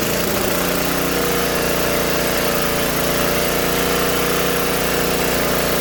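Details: Old Tecumseh-powered generator revived after years outdoors in rain and snow, earlier likely flooded from spraying stuff into it; now running with choke fully off at a steady governed speed, even drone, light smoke burning off residue; normal running.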